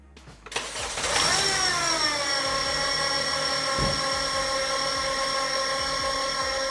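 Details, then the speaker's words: 2010 Honda Civic 8th gen 1.8L: loud, steady high-pitched squeal at start and idle, unchanged by turning the steering. Owner suspects the belt tensioner; the tensioner pulley bearing was replaced. "you hear that if you can hear that you might think it's a power steering pump but when you turn it the steering doesn't really make any changes so I'm thinking that's a the belt or some of that um some of the tension there the belt tensioner"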